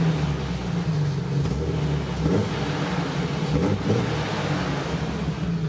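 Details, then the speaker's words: Jeep Cherokee XJ 4.0 six-cylinder after exhaust repair: deep, steady idle rumble with no rattle, much deeper than before; slight 4.0 chatter is audible once the oil heats up and thins. "let's just have a listen what this thing sounds like now without the rattle so much deeper"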